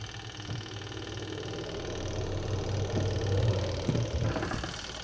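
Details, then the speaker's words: Panasonic NA-W76BBZ2 washing machine after replacing the spin-dryer motor, lid closed: steady low motor hum building smoothly as the drum spins up, no scraping or knocking; normal spin. "Oke, mau mutar. Sip."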